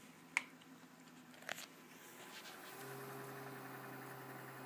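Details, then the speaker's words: Optical drive burning a small CD: quiet room, then a soft steady low hum rises and holds as the disc spins up; normal drive running. "don't know if you can hear the hum of it, but that's just amusing to me."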